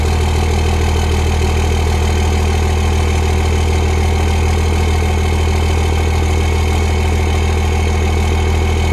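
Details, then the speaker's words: Turbo diesel pickup truck idling, somewhat smoky, with exhaust from the turbo; deep steady diesel clatter with smooth even beat, no knocks or misses; normal idle. "sounds good but it's kind of smoky though"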